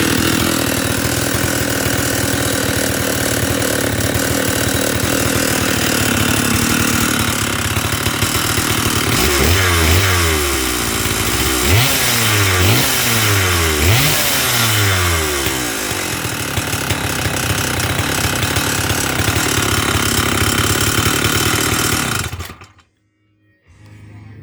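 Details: Stihl 048 Super chainsaw idling and revving with a loose, rattly knock riding on the engine beat: bad piston slap from a very worn piston.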